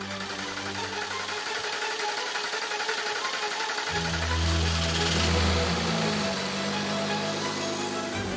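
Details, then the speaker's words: Newly hand-built RUF CTR Anniversary 3.6-liter flat-six on a dynamometer with a new oil filter, first start: it catches on the first attempt and settles into a steady idle with a light, quick tappet rattle, normal shortly after being built. "Carlos can tell whether everything is okay with the engine just by its sound there's still some rattling here and there but that's perfectly normal shortly after birth"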